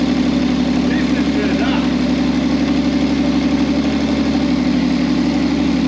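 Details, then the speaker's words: V6 trike that stopped and wouldn't restart, running after fuel pump connections were re-plugged; loud, throaty idle through a very short open exhaust, pulsing evenly with no misses: normal idle. "listen to that bad boy purr awesome"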